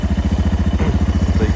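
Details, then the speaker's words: Suzuki DR650 with Lectron Billetron Pro carburetor, warm at idle: even single-cylinder thump, idle a little high at about 1680 rpm, adjustable; slight popping, nothing outrageous. "My idle is a little high right now. Let's see. Yeah, it's about 1680. I can even adjust that now."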